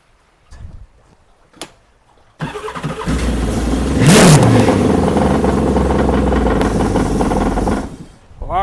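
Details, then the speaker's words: Jet ski starting right after a new SGFYO powersports battery is installed: a few clicks, then the engine catches at once, revs briefly and settles into an even idle; a clean, healthy start. "Well, all right, that worked great."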